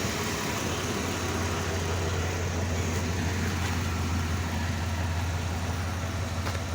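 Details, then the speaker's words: 1995 GMC 1500 pickup, sat four to five years, new battery, idling after first start: even low rumble at steady idle with no misses, knocks or ticks; smooth idle. "let's see first time starting five years she sounds good four to five years somewhere in there she's set"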